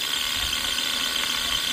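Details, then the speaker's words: Seized scroll compressor from a home AC unit run slowly on a variable frequency drive near 40 to 50 Hz: rough ratcheting clatter under electrical whine; owner suspects slop or separation between shaft and internals. "I don't think that's just the magnetic field rotation we're hearing."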